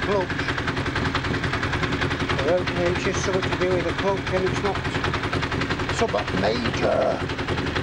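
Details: Honda CBR1000F, a landfill restoration bike, running after reassembly: fast, harsh metallic rattle over the engine note the whole time; the engine has developed a worrying rattle whose source is unconfirmed.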